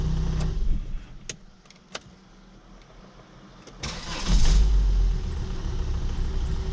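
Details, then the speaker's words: Volvo XC70 2.4L D5 diesel first start after replacing the high-pressure fuel pump, key cycled to prime: clicks, short crank, catches at once into a steady low idle; running smooth. "Give it a few seconds to work out any air that might be in it. So far it's running smooth."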